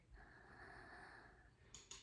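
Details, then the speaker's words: 2010 Subaru Forester, finding top dead center: air supply connected to the cylinder via a gauge, crank turned with a 22 mm socket, mic near the cylinder; steady airy hiss for about 1.5 s on the compression stroke; TDC close. "a really easy way is to unhook your Air Supply hook up your gauge to it and then uh go around and you can hear the air hissing on the compression stroke"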